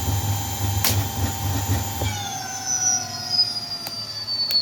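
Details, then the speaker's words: Electric bike hub motor on a Votol controller (EM 100 update), switched through speed selector low, medium and high: a clean, steady high whine shifts pitch with each setting, no grinding or clicking. Speed control working, motor healthy. "I'll let y'all hear the motor. This motor sounds really good with this controller."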